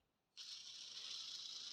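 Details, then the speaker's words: BMW E36 accessory-belt idler pulley, removed from the tensioner and spun by hand, spins very fast with a dry, raspy high-pitched whirr; the worn bearing is suspected as the source of a loud belt-area clack. "voilà quoi il tourne hyper vite et il fait du bruit"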